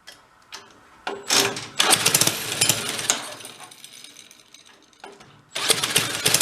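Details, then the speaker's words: 1965 Corvair Monza SS go-kart by Rupp, made to run after years stored: the engine blips and surges in uneven, sputtering bursts, running rich. The head gasket is blowing at the cylinder, and the air-fuel screws were found swapped. "Still too much fuel."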